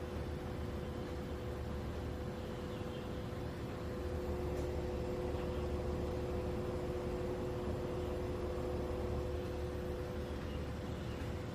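Quiet unit running with a low rumble and two steady mid-pitched tones that never change; an abnormal noise, cause unknown.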